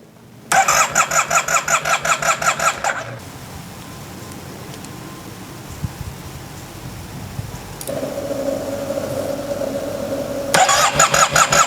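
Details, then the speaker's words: Yamaha TMAX after reinstalling the ignition, primed with fuel: starter whirs in quick bursts with a few brief firings that never catch; cranks but won't start, owner suspects an air leak or fuel not reaching the engine. "I'm looking at the it does not want to start I hear the uh oh that was a kick that was good it fired a little bit"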